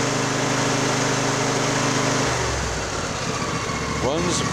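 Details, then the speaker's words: Craftsman YTS4000 riding mower bought for resale, with new spark plugs, dark dirty oil and a wrong zip-tied fuel filter, running: fast even beat, steady pitch, no misses or knocks; idles healthily, runs really good. "runs really good so i'm gonna lift it up"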